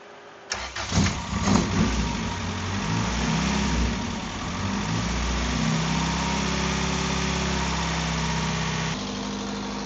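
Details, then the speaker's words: Right-hand-drive 1990 Honda CRX SiR, reportedly built B20B block with GSR head, ITBs and 4-2-1 headers: it catches after a short crank and idles fairly evenly. Fuel pressure reads just over 20 psi, down from 60 earlier; owner suspects an overheating fuel pump. "See right here, I'm only getting just over 20 PSI. Other than that, when it runs at idle, it runs pretty well."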